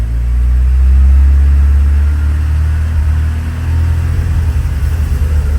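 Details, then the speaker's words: 1984 Porsche 944 daily driver: idles perfectly, but the deep rumble sags and stumbles when throttle is gently applied and it won't rev above 2500–3000 rpm; smoke test found no leaks, fuel tank sealed with new lines, cause unknown. "Give it gas. Starts breaking up. Ease the gas real gently."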